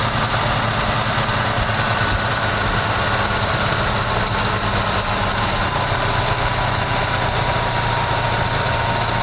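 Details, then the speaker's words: 1974 Chevy Nova that sat for a long time, first start after filling the carburetor bowls: steady, fast, high idle well above normal tick-over because the choke is still on, and it smokes heavily. High idle, choke stuck on. "why'd they crank it up like that i see it's the uh the choke is still on wow guys i mean she's a smoker but uh so far so good"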